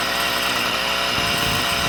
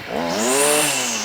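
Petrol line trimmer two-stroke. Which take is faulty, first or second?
first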